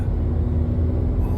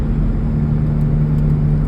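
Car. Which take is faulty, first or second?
second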